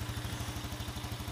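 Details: Yamaha Jupiter Z1 that showed error code 46 and wouldn't idle now idles with a steady, even single-cylinder putter and no misses. Charging reads about 13 V running.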